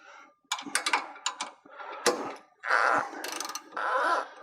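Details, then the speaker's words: New Holland air drill meter box, slide gate reopened after motor/roller change: short high rubbery squeaks in bursts as the gate slides, just the rubber seal rubbing the meter box top; normal. "you can hear that squeaking noise and that's the rubber seal between the slide gate and the top of the meter box"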